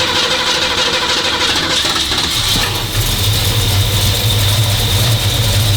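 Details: 1965 Cobra Fastback with replacement 302 V8, automatic choke being adjusted: cranks, catches and settles to a slow, uneven idle around 1000 rpm; fast idle set too low, needs a bit more.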